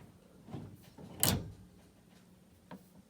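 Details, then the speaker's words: Sharp SMD2470ASY microwave drawer, not heating, during repair: one sharp click as the drawer shuts in a quiet room; the door latches and the interlock switch engages properly. "okay so now we're going to close the door okay you heard that that was a click everything closed good"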